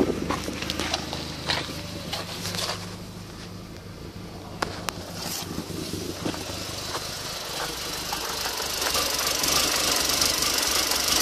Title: Erratic idle and misfire golf gti 1.8t